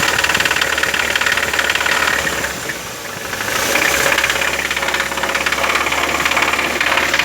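Fast light ticking, near four a second, rides over an uneven idle; clearly a ticking engine, cause not pinned down yet. Cause suspected, not confirmed.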